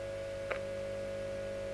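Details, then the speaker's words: Selmer Little Giant guitar amp during refurbishment: steady low mains hum with a buzzing edge and one click while a test capacitor is tapped onto the low-voltage side; the hum changes only slightly, so the existing cap is suspect. "not as much as I'd expect I can hear it you might not be able to hear that I can hear that it's actually changing um so that cap isn't great"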